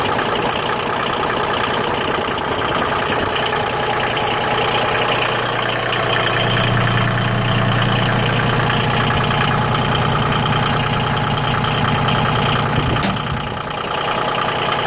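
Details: Yanmar YM2310 compact diesel tractor, recently serviced with a new starter: an even, steady diesel clatter at idle with no misses, knocks or stumbles; a normal, healthy idle.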